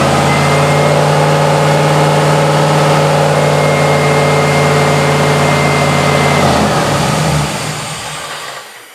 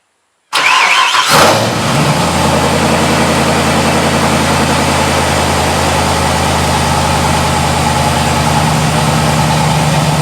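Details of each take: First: Mazda RX-7 with LS6 intake manifold, just after startup following intake gasket repair: hangs at a fast, steady high idle of about 2,000 rpm, then winds down; owner suspects the unplugged MAP sensor vacuum line causing a vacuum leak. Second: Mazda RX7 starting after the density sensor vacuum line plug was refitted (it had been revving to 2,000 rpm at start): brief crank, catches cleanly and settles into a steady, even idle with no raised speed; running right.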